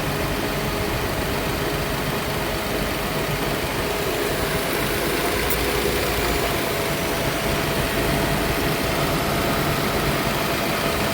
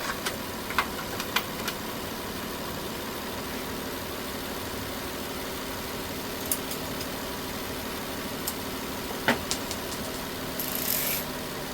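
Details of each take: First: Nissan Altima (2007 or 2008), 232,267 miles, P0171 lean code, hot engine with a big vacuum leak. Smooth but raised idle above 1,000 rpm (target near 800) with a faint hiss; hoses dry-rotted, another vacuum leak suspected. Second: Nissan Altima (2007 or 2008), 232,267 miles, after P0171 lean-code repairs to coolant and vacuum leaks; warm after running several minutes with cooling system pressurized to about 12 PSI. Quiet, even idle with steady hum and light background clicks, no misses or hunting; running great, fuel trims good.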